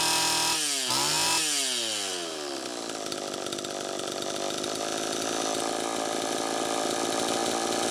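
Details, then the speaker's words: Homelite Super EZ chainsaw after crank seal replacement: a fast rev, then a high, hunting idle that won't settle, with the idle speed screw far out. Intake manifold air leak, with a bad gasket or cracked intake adapter suspected. "first take a listen to how it's running it's pretty close but one key that something's still not quite right see how far out i have that idle speed screw still screaming air leak"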